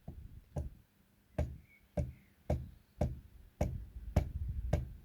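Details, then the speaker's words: 5-inch gauge Class 31 model locomotive bogie: with the driven wheel locked, a loose wheel still turns on its axle and rubs the shoulder, giving irregular hollow knocks about two a second; owner suspects a missing or loose grub screw. "If I lock this driven wheel up here, that one is still turning. Maybe you can hear it going against the shoulder."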